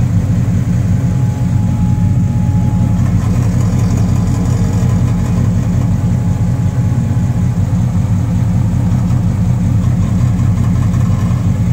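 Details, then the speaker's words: 1997 Dodge Ram: loud, deep idle with uneven low thumping about two to three beats a second; noise at idle thought to come from the exhaust, cause not confirmed; oil leaks noted along block. "sounds like it's coming from the exhaust, actually."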